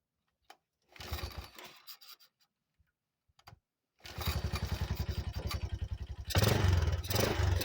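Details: 1985 Yamaha Moto 4 ATV, first start after old carburetor replaced with a new one; after a few cranks it catches and settles into an even single-cylinder beat, no misses, running quieter than ever before: normal start and idle.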